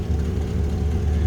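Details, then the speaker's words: 1954 Chrysler New Yorker, 331 Hemi V8, 54,342 miles, heard at the rear tailpipe: steady, even low exhaust rumble at idle with no misses or knocks; healthy. "first of all i seen here this little rumble coming out of that hemi"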